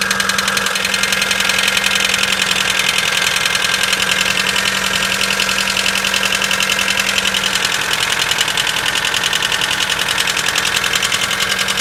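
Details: Mitsubishi 4G94 engine on cold start: fast even knock about three to four per second over cold idle; cause undetermined.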